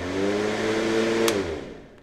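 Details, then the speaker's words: Black & Decker CM1640 electric mower after fixing worn, bent starter lever parts: steady, even motor hum with clean tone, then spins down smoothly after release; motor runs normally. "other than that you can hear that it actually works"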